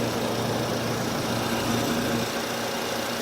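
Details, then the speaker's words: 2008 Nissan Versa, formerly near-silent, with a steady idle drone and a faint wavering whine; owner suspects the alternator or a pulley starting to go bad, source unconfirmed; oil fresh, coolant about half. "sounds like it might be the alternator. Oh, that's why. It's a pulley, I think. Right?"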